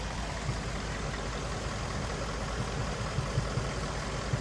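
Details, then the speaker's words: Ford Mustang GT 5.0 Coyote V8 (2017 or 2019) with codes P0302 and P0316, idle with uneven lope and soft stumble about once a second; cylinder 2 misfire, cam-crank timing being checked with oscilloscope. "tiene un Miss Fire en el cilindro dos y voy a mirar el tiempo del motor."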